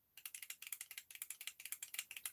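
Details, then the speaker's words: Arrma Big Rock RC truck, bare motor spinning, possible warranty claim: fast, gritty, dry ticking at roughly twelve per second, rough and dominant; worn motor bearing. "let's see that that's the noise of an earring i've been hearing that noise because that's very dominant listen to that"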